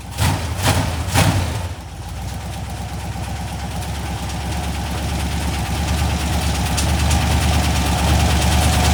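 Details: Cheap LS 4.8 LR4 V8, hot, revved high on a run stand for a last time before teardown: internal knock growing louder with speed.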